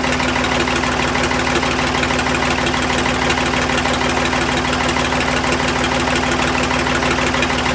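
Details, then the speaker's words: Ford 555 backhoe 3-cylinder diesel idling after valve lash adjustment, exhaust off so raw exhaust is blowing; loud even chug with no stray valve train ticking, healthy idle after the fix. "all right i don't know about you but that sounded pretty good to me"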